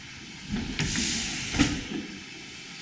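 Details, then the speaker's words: Corliss steam engine at the New England Wireless and Steam Museum: steam hiss with soft, evenly spaced clunks as each admission valve snaps shut, pulled down by dashpot vacuum; this is normal dashpot action. "lifted and it closes. When it closes, you hear that little clunk noise. This actually draws a vacuum down here when it's lifted."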